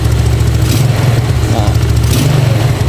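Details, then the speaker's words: Yamaha Nouvo carbureted scooter, hard morning starts, original Nouvo vacuum carb, after valve adjustment fixed weak, rough low-end running: steady, even putter at idle, revs drop straight back down when throttle is released; normal idle and throttle return. "bisa denger ya dia balikannya juga normal langsung turun di sini kita kecilin lagi gasnya bisa normal ya"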